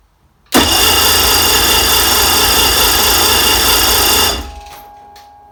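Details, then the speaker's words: Rebuilt 2000 Mercury 210HP 2.5 V6 in a Sea-Doo Speedster jet boat, compression about 123–127, fuel system primed: about four seconds of harsh cranking that never fires, then winds down; the owner suspects no fuel. "Just stays up like that. Must not be getting fuel. Why not?"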